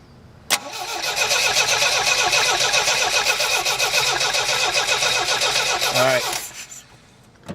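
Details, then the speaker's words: Starter cranks steadily at about four turns a second with no firing despite weak spark, gas dribbled in the carburetor and starting fluid; no fuel delivery. The electric fuel pump was found underneath and fuel came after it was hit with a hammer. "obviously we're not getting any fuel and I suspect this thing has an electric fuel pump because I have not seen a mechanical one"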